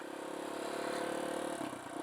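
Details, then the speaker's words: Kawasaki KLX140 rebuilt to big-bore KLX170, first break-in run: fast, even light ticking over the single's revving bark; owner suspects valve clatter from clearances adjusted on the looser side, not confirmed. "did it just the valves and you know I adjusted them as good as I could man there I adjusted them on the kind of looser side so that could be in"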